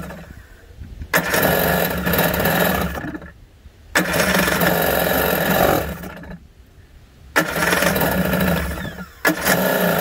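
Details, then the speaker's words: 1991 Kawasaki 550SX two-stroke jet ski, first start after about six years in storage (stored with fogging spray, fuel stabilizer); run briefly without cooling water, choke being adjusted: crisp buzz in clean throttle bursts, starts like a charm, normal running. "six years later starts up like a charm"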